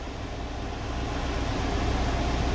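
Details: UMZ-4216 engine in an old GAZelle Business, 140,000 km, after replacing the rocker arm shaft: steady smooth idle with no valve tapping or rattling; oil now reaching the rockers, problem solved.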